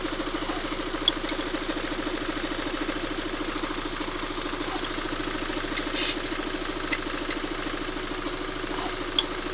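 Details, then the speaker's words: Timing chain knock at idle: with the tensioner propped by a bolt the knock nearly vanishes, leaving only a faint irregular tick. Unscrewing the bolt brings the rattle back, so the tensioner is at fault. "И вот он затихает, звук. Практически не слышно его. Практически не слышно. А теперь я его откручиваю. И вот он загремел."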